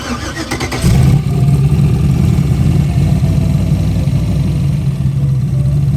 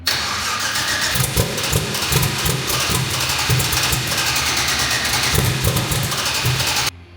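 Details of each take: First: Turbo Ford Fairmont driven back after a problem: deep, steady V8 rumble with a dull knock on the driver's side, suspected at cylinder 7, not thought to be a lifter; owners suspect bent connecting rods. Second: Turbo V8 Ford Fairmont's first start after rebuilding with straight rods replacing bent ones and reinstalling the manifolds. It settles into a lumpy but even run with throttle blips and no knock heard; unclear yet if it sounds better.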